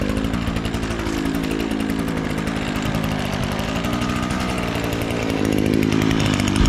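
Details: Echo SRM-225 string trimmer that had been bogging down, run after the exhaust screen was removed: crisp, even two-stroke buzz that holds revs steadily with no bogging or stumble. The clogged exhaust screen was the cause, and it now runs healthy.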